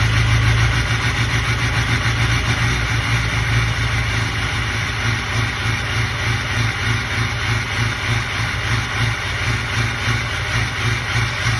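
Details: Ford 6.0 Power Stroke diesel idling with a slightly uneven, lumpy pulse under a steady clatter, as if a cylinder is not firing evenly; rough idle, bad injectors suspected, not confirmed.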